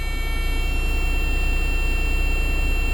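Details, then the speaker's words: Leyland DAF T244 truck with air brakes, first start after sitting: steady high-pitched low air pressure warning buzzer over a lumpy diesel idle, sounding until the brake tanks build back pressure. "the air depletes out the system and that's why the buzzer are sounding right now the air needs to build back up in the town"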